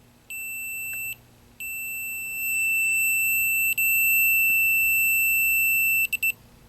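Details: 1983 Bally Midway Discs of Tron arcade PCB, meter on a capacitor after the power supply clicked: high steady continuity beep held for seconds with brief breaks as leads touch, confirming the shorted cap.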